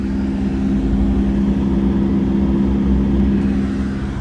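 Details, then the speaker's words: 2012 BMW 3 Series F30 cabin blower turned up: steady rush with coarse throb about four beats a second, like a single-cylinder motorbike; leaf debris stuck in blower fan wheel. "it's like a vibrating bizarre noise almost like a like a single cylinder motorbike does anybody can describe it"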